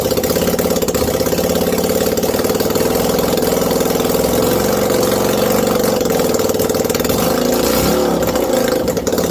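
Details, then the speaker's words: 1989 Yamaha Virago 535 V-twin after 4 years parked, no exhaust fitted: loud, raw, rapid popping holding steady at a choked fast idle with no stumbles; runs cleanly. "There's no exhaust, so this could be allowed. Or not start at all."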